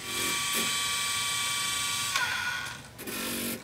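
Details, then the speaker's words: Quantum LTO-4 tape drive in a rebuilt server (Aaeon EMB-B75A board, Intel i3 3220), first tape inserted; the owner suspects problems with the drive. High motor whir with short mechanical clicks as the cartridge loads and threads: normal tape load. "it's not the quietest build but um i think i can hear that fan or that motor noise not that i'm gonna hear it over that tape drive right"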